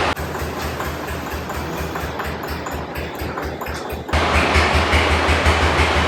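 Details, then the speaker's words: 1984 Nissan 300ZX after fuel pump and tank work: the starter churns at about three beats a second with no firing for four seconds, then a rush as it tries to catch. Long cranking, hard start; owner suspects a clogged fuel filter and tries priming. "okay so it's cranking that's a good thing right y okay let's try to prime it up again let it see if it primes fuel filter it might be clogged"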